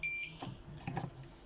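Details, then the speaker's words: Birch CPQ3 receipt printer with thermal head removed, powered on: single high piercing beep about once every 2 seconds with quiet gaps and light clatter, indicating paper error with paper sensor out. "This beeping like once every 2 seconds means the paper error."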